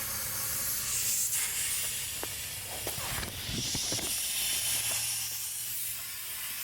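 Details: MINI Countryman R60 (2010–2016) sunroof drain blown through with compressed air: a steady airy hiss with soft puffs and no gurgle. Air passes freely, and both drains are clear.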